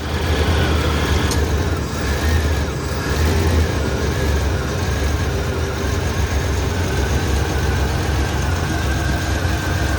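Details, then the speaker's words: 1994 Chevrolet S10 Blazer 4.3 V6, first drive after upper intake rebuild, timing set: steady, even low rumble with no misses, knocks or ticks; idles smoothly and sounds healthy. "Alright, maiden voyage since rebuild. Thank you. Can't believe I got the timing right on first try. Sounds amazing."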